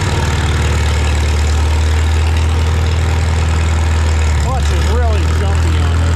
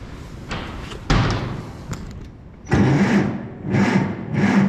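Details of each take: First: Farmall Super M tractor being prepared for the Mackinac Bridge crossing, just started with the choke and throttle levers, clutch depressed. A deep, steady low-pitched idle that holds even throughout with no misses or knocks. It runs normally. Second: Farmall Super M cranked with the clutch in, out of gear and key on. A few short, sluggish cranking bursts fade each time without catching. No start because the battery is dead and too weak to spin it, and there is no charger on hand.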